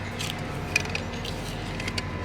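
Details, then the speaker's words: 2007 Porsche Cayman S (987) stock strut top mount, removed and turned by hand. It makes irregular gritty creaks, clicks and binding, matching the creaking heard when turning at low speeds in parking lots, so the bearing inside is shot and the mount needs replacing. "As I drove along, especially at low speeds around a parking lot, it would I'd turn the wheel and all you hear is this creaking sound, and that was this. The bearing inside there is shot, and it obviously has to come all the way out to be replaced"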